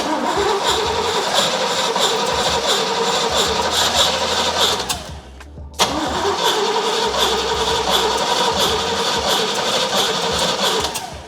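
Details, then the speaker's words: First start attempt on a 1967 Pontiac GTO converted to EFI with a Haltech Elite 550. Fast, even cranking about four beats a second with ragged attempts to catch. Timing is suspected too far advanced, not confirmed. Cranks, will not start. "Okay. I think you're too far advanced, Jeff. Yeah. Something's not quite right here."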